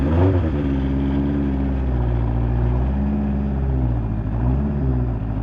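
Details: Fuel-injected 1983 Honda CB1100F prototype, first start after 17+ years in storage. The four-cylinder catches and settles into a steady, even run with a few light throttle blips. Sounds healthy; normal running.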